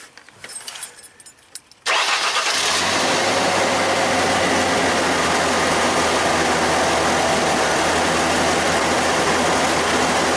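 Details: 2002 Ford Ranger 2.3, 200,000+ miles, first start after new fuel filter, key cycled three times to build pressure: starter cranks briefly, engine catches quickly into a steady, even idle with no misses or knocks; healthy start.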